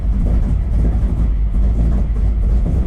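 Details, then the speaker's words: 1979 Camaro, 427 small block with solid roller big cam, 107 LSA and tunnel ram, on Flowmaster FX mufflers, idling cold: deep lumpy idle surging unevenly with irregular pops and bucking. Owner suspects raw fuel from the cold intake; it settles when warm. "You can hear it bucking and farting. It's a bit of a bear when it's cold."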